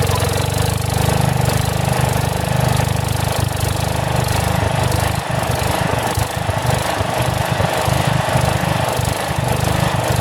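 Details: About 35-year-old log splitter refreshed with new pump, valve, filter, rebuilt cylinder and hoses, swapped-in 12HP single-cylinder engine: loud thumping whose speed swells and sags every few seconds; governor hunts a little, owner suspects carburetor needs adjustment.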